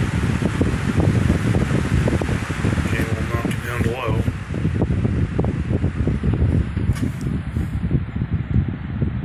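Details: Lakewood 20-inch three-speed box fan, late 1990s or early 2000s, running on medium: low, steady airy rush with an even hum and no ticking or grinding; running quietly and smoothly.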